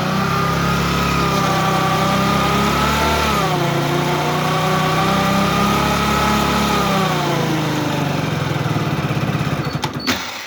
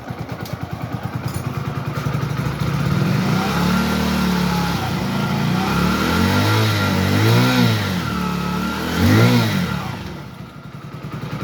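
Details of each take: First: Hero HF Deluxe BS6 motorcycle, about 20,000 km, warmed up, in first gear with slight throttle against the brake: rough warbling drone rising and falling with throttle; 1st and 2nd gear noise. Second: Hero HF Deluxe BS6 after engine rebuild for 1st/2nd gear noise, bearings replaced, first gear: even engine note rising and falling smoothly with throttle, no knocking, whine or grinding; normal running.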